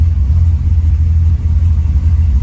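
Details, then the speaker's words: Supercharged LSA V8 after fixing a spun balancer, new LS3-style timing set and a new radiator, while bleeding coolant air: deep, even rumble with a steady beat and no knock, tick or miss; smooth and healthy, 35 psi oil pressure, temperature 200. "But yeah, it sounds good. It's smooth, healthy. Love it. Okay, we got 35 pounds of oil pressure."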